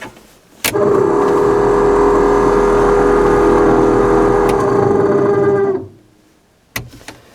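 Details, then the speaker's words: 1991 Ford F-150 heater/AC blower motor before replacement, running on high, the only working of four speeds: loud steady roar with uneven gravelly undertone, worsening over time; motor worn out, resistor module also replaced. "so that's the high speed these other three speeds on here are all dead it just sounds terrible it's gotten worse over time too"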